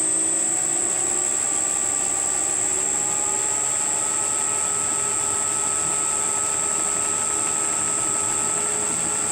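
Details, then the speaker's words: Rebuilt circa-1940 Hercus lathe after spindle pulley static balancing, stepped up to 1125 rpm top speed: smooth even whine rising in pitch, no knock; runs balanced, slight vibration only at top speed. "all right hundred nine hundred there's and top speed 1125 a little bit of vibration at the top space but no idea what it was"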